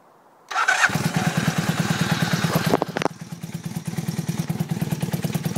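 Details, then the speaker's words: 1982 Honda 450 motorcycle, about 34,000 miles, already warmed up a bit, cranked with clutch held in: quick crank, catches at once, settles to even thumping idle about three beats a second; normal start and idle. "runs good though i already warmed it up a bit so but i don't want to rub it too hard it's an old bike runs good though"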